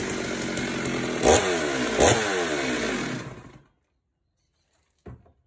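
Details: Stihl chainsaw after clearing flooding (soaked spark plug dried and refitted): fires at half throttle and holds an even, steady buzz with no stumbling for a few seconds, then shuts off cleanly; normal running.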